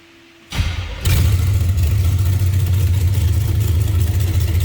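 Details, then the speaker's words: 1931 Ford Model A Tudor sedan street rod fired up: catches right away and settles into a deep, steady rumble with an even beat; normal, healthy running. "It's going to turn some heads too when they hear it. We're going to fire it up here at the end of the video. You'll be able to hear it too. It's got a rumble to it."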